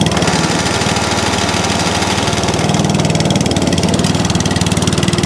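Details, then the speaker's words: ATCO 14S cylinder lawn mower, small single-cylinder engine started on choke, holding fuel; quick, even popping beat at steady speed without hunting; runs beautifully, normal running. "That's lush. So that one works lovely as well. So that's four that run absolutely beautifully."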